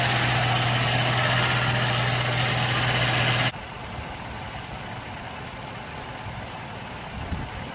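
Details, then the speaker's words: Toyota FJ Cruiser: loud rough whirring grind from a failing blower (cabin fan) motor, heard over engine idle when the fan is switched on and cutting out when off; owner first ruled out pulley bearings, idlers, AC and alternator; grinding gone after blower motor fix. "so before guys when i would turn this on i put a sound clip at the beginning of the video but when i would switch this over you would hear it right away the engine would make a weird like grinding sound but that is completely gone now so that's good"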